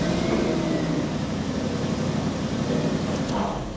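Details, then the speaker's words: Audi RS5 4.2 V8 with persistent engine fault: lumpy idle jumping around and hunting instead of holding steady; basic settings fail, throttle position banks one and two reported too low. "So, uh, so yeah, it basically it idle jumped around. So, it sits there and it goes, uh, it fails."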